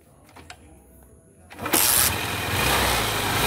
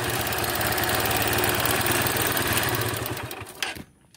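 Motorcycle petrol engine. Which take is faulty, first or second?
second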